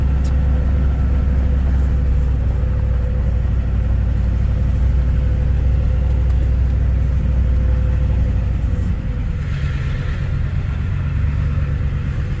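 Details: Ford 7.3 Powerstroke diesel that began cutting out, progressively worse, on the way back after hauling a shipping container; suspected bad CPS sensor. After a new sensor was fitted, it idles with a steady, even clatter and no stumbling, about 10 minutes in.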